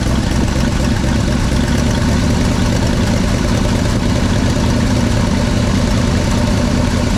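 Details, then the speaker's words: 1964 Chevy C60 grain truck, 327 V8, long parked on a ranch, first start, likely running off fuel left in the carburetor, exhaust pipe loose; steady, even low rumble settling into a clean, healthy idle. "I think it's just running off of what's in the carburetor right now another 327 runs"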